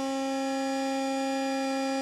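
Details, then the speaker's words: Battery maintainer connected to a truck in cold weather, headlights on as load: a steady high, multi-tone whine from its cooling fan going bad, fine once it warms up. "I have a fan going bad. It doesn't like the cold."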